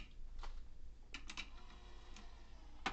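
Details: Soft, clean clicks as a cassette door of a circa-1994 tape deck releases, with no grinding or scraping: a smooth, healthy eject, unlike the tampered deck.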